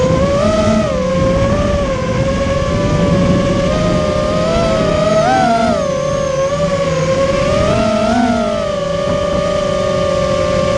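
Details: Immersion Vortex 250 Pro quadcopter brushless motors on test run after fixing bad bearing sounds, which the owner thinks are fixed; one slightly warm afterward: clean high whine rising and falling with throttle, no grinding. Normal running.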